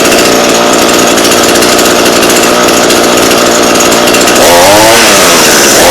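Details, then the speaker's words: Two-stroke engine at wide-open throttle after adjusting a non-adjustable carb, set so it screams then a little richer. Loud, high-revving buzz with slight four-stroking, a faint burbling break-up, meaning the mixture is slightly rich as intended. "there's something called for cycling it where kind of sounds like you it's breaking up and it's doing that pretty good"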